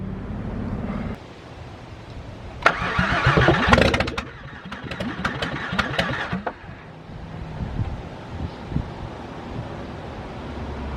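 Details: VW VR6 engine being revived, fuel pressure now present, return line checked: starter cranks in steady bursts, about three turns a second, with a stumble but never catches; crank no start.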